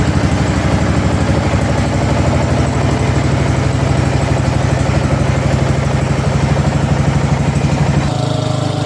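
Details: Ariens/Husqvarna riding mower single-cylinder engine after revival (new carburetor, intake manifold, head gasket, flywheel, battery): smooth even thump held steady for eight seconds, then clean shutdown; healthy running after repair.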